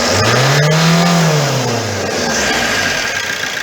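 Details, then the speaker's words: Opel Corsa 1.3 diesel after exhaust manifold gasket leak repair, full throttle rev: revs sweep up cleanly and fall back smoothly with no whistle or hiss; normal. "ses soluk yok gördüm ben arkadaşlar"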